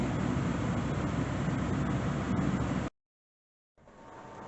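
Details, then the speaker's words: 2010 Audi A4 (B8) after blower motor repair, reassembled, on defrost with AC off: steady, even rush of air with no ticking, squeal or rattle, shuts off and spools back up; blower running normally. "now that everything's buttoned back together she is good we got it on defrost got some nice air it's not bad"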